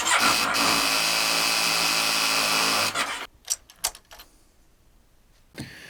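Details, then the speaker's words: Kawasaki ER6 / Versys 650 with weak starts, still failing after a new battery; quick, even cranking for about three seconds that stops without firing, then clicks. Charging system fault, with regulator rectifier or stator suspected. Hard starting. "Yeah, this bike left me stranded and it wasn’t the battery. So I went out and got a brand new battery, replaced it, and I still had the same problem."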